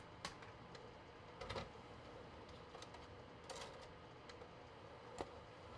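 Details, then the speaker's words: PlayStation 2 console struggling to read PS2 discs, movie disc inserted: faint sharp ticks repeat every one to two seconds as the drive retries focus, then gives up with no disc seen; CD laser fine, worn DVD laser failing to focus. "I hear it ticking trying to focus over and over again. It's crazy how much you can learn from just listening to the console."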